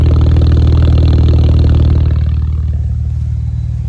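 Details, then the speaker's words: BMW 535xi N54 idling after another set of coil packs was fitted during valve cover gasket work: steady, even low idle with a regular beat and no stumble or skip, running pretty smooth. "And after putting another set of coil packs on this thing, it's running pretty smooth, I gotta say."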